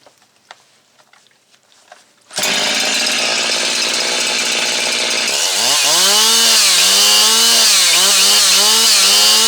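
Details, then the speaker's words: Husqvarna 362XP Special chainsaw, warmed up, after replacing previous owner's limited ignition coil with unlimited coil: fires and screams smoothly at high revs, clean quick pitch changes; gained roughly 2,500–3,000 rpm, runs good. "Probably gained uh at least 2500 RPM or 3,000 RPM here. I'll fire it up. Runs good."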